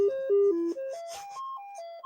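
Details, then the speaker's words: Commodore 128 on a diagnostic test cartridge, without the harness and not yet on its own power supply. Clean stepped tones jump up and down in steady, distinct notes; the SID sound chip tests good. "is a good SID chip. Indeed, we have a good SID chip."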